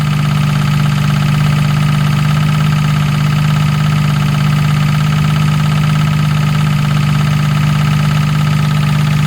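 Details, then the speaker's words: Jaguar MKII at idle after reassembly and water pump work, car not yet driven: loud, steady low hum with a constant tone over a smooth idle. Whine of unclear source; owner suspects the gearbox. "yeah it's hard to tell where that's coming from that noise it really does sound like the gearbox"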